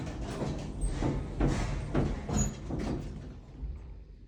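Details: Dover elevator at a shopping center: heavy dull knocks roughly every half second while the car travels, fading toward the end; knocking from the drive, cause not figured out.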